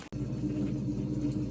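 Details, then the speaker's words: GE washing machine drain pump after being cleaned out, having previously failed to drain: low steady hum with a faint uneven rumble underneath, sounding slightly suspicious; water pumping out normally. "all right sounds like she's is draining now uh thing sounds a little suspicious down there but it's cleaned out"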